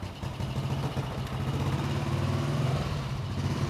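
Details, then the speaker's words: 1991 Honda Astrea Grand, rarely used with a weak battery, kick-started: a low, even single-cylinder putter, steady at idle with light throttle blips and its characteristic sound. It starts very easily and runs smooth and healthy. "Gue coba nyalain. Ini sangat-sangat tokcer."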